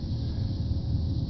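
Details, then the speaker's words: 2007 Chevy Aveo heater blower motor run by jumping the relay socket, testing fuse, relays and motor at once: steady even low whir with no rattle or squeal; normal blower motor operation, fault traced to ignition switch. "so I'm going to go ahead and stick that in and you can hear my motor running for my blower so now I just tested my relays my fuse is my blower motor everything in one shot"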